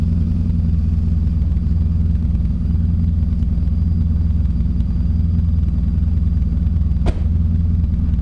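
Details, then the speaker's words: Toyota Corolla with 4AGE swap after fitting in-tank fuel pump, cool morning, no cold start: even, steady petrol engine idle with no misses, surges or knocks, pump hardly audible; normal idle. "sweet we got no leaks well it's not leaking yet it's all back in and it's running and my pump is quite as now like you can hardly even hear"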